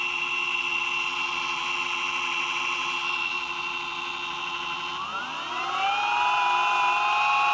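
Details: Boosted electric skateboard motor: steady whine rising in pitch as it speeds up, with a faint repeating click.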